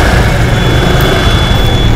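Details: Honda Vario 110 scooter after water pump mechanical seal replacement (coolant had leaked into the oil, turning it milky, and the overheat light came on), coolant refilled, running about 5 minutes for a hose leak check: steady, even, smooth low idle with no knocks.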